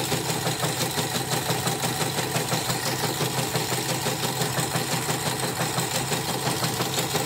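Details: Portable CNY embroidery machine sent in for messy stitching, unstable rotation and a skipping bobbin case, tested after repair: fast gritty, uneven clatter over the drive hum; still rough even with a borrowed new bobbin case; the old case is worn loose.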